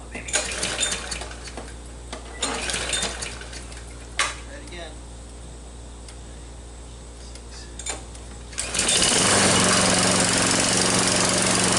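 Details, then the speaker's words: Troy-Bilt mower with a "Frankenstein" engine built from another engine's parts, rebuilt and not yet broken in: clicks and handling noise, then the engine catches after six primer pumps and a few pulls and settles into a steady, even roar; sounds healthy. "so it's running I'm not gonna jinx myself but I think I've got it done"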